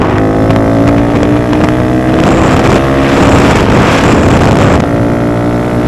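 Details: Honda Grom riding after DHM S1 camshaft install with aftermarket exhaust: steady single-cylinder drone climbing and holding pitch under wind rush, no knocks or misses; reaches speed quicker, holds the 60s stronger; normal running.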